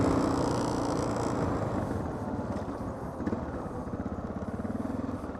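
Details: Honda XR650L single-cylinder stumbling and fading out with uneven popping, about three pulses a second, spitting fuel and backfiring, running rich; owner suspects a stuck float; bike little ridden for about four years.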